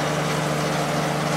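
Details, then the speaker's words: Late-90s 40-pint Whirlpool Accudry dehumidifier, reciprocating compressor, Emerson fan motor, running opened up: steady even hum with soft airy rush; normal running, evaporator fins very cold, discharge line warm. "Yeah, it's getting really cold all over. I just pointed at the area with the fins. Definitely working well."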